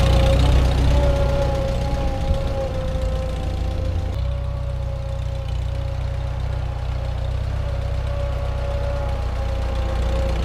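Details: Farmall H first start after winter, still cold, all four cylinders running after a rough idle: steady mid-pitched rear-end gear whine under load as it moves off, milder than its normal severe whine because cold, thick rear-end grease.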